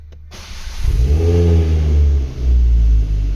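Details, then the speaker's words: 2008 Ford Focus ST 2.5 Volvo five-cylinder, after repairing the boost sensor wiring for a P0238 no-boost fault: a deep, smooth rev rising and falling cleanly twice, with pops and bangs and no misfire. The engine pulls normally. "Pop's and bangs and everything"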